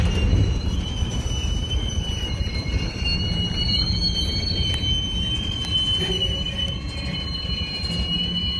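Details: Union Pacific 6644 leaving Mesa Yard after work: high steady wheel squealing and clanging over the low rumble of rolling freight cars before the train stopped to switch into a siding; it was later fixed, cause not evident.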